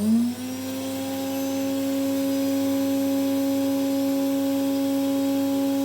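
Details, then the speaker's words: Sloboda 700 vacuum cleaner reassembled after repair of a noisy motor with audible bearing: steady piercing whine with a sharp edge; noise somewhat reduced but still harsh, though it suctions and the motor no longer sparks. "Malo smo smanjili buku usisivača, ali problem je i dalje onako ima onaj oštar."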